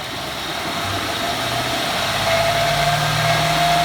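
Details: 2014 Ford F150 4x4, hood open, revved in place: thin steady high squeal, like nails on a chalkboard, rising with revs; first only when cold and gone after 5 min, now constant; cause unknown, going to dealership.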